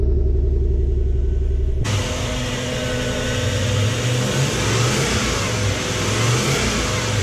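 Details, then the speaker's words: Toyota 1UZ-FE V8 swapped into a Toyota Surf/4Runner, started after rewiring on a rough base map, once a fuel pump fault was fixed. It cranks briefly, catches cleanly and settles to an even idle with smooth throttle blips: normal start, idle and revs. "yeah he runs that's on a total base map I just threw some reasonable numbers on it starts it idles it revs that's pretty pretty"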